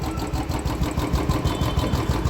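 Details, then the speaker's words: Royal Enfield Electra (Bullet) after fresh Motul oil change and engine flush, stock Royal Enfield silencer with BS3 bend pipe: deep, steady single-cylinder thump at idle, about five or six beats a second, no metallic knock; healthy idle. "हमने इसमें company का original यल एफीड का stock silencer लगाया हुआ है band pipe हमारा bs3 है काफी अच्छी आवाज है इसमें"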